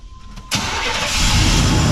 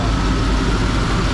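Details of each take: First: 1991 Chevy 1500 OBS truck: the engine cranks and catches, then a harsh metallic clatter jumps in over the idle as the year-old replacement AC compressor engages. It sounds like it's about to throw a rod; the AC compressor is failing. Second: 1991 Chevy 1500 OBS pickup at idle after AC repair with new compressor, condenser and drier, charged with three cans of R134a, compressor engaged: steady, even idle, no knock, squeal or grinding; compressor running quietly and cooling well.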